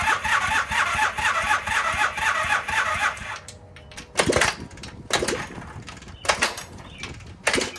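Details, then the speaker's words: 1978 Honda CB400A Hondamatic twin, parked 10+ years, seized engine freed, compression 105 and 155 psi, rings stuck: starter cranks fast and even with a few sputtering bursts but never runs; cause unconfirmed, carburetors suspected. "kind of sounds like it wants to do stuff. If you don't sound like you want to do stuff, what are you even doing?"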